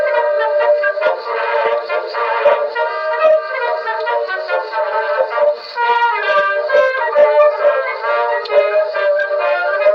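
A record plays with a thin, reedy, wavering tone that sounds off, pointing to a faulty reproducer, though the exact defect isn't clear.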